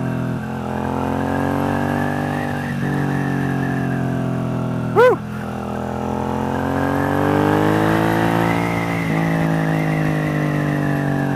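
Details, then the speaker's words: Newly built bobber on its first test ride after bearings, fluids and valve adjustment: engine drone eases off from high RPM and builds again smoothly, even firing, no knocks; vibration on let-off considered normal, healthy running. "got a lot of vibration when I have it at high RPM and I let off totally normal it's just interesting it's very smooth in its power"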